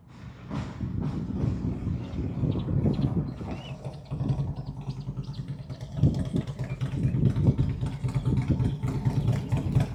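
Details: 2003 Harley-Davidson Road King 100th Anniversary with new headers, fishtail exhaust, Andrews 26A cam and ThunderMax on pass-bys: deep V-twin rumble swelling and fading, smooth pulls, clean throttle-off burble, nothing rattling; healthy.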